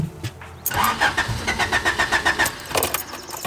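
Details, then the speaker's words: 3rd-gen Honda Prelude with a newly installed fuel pump kill switch, activated, pedal pressed. Starter cranks in an even beat near four per second but the engine never fires. Crank no-start, fuel pump cut. "So my kill switch is activated right now, so I should not be able to turn on the car."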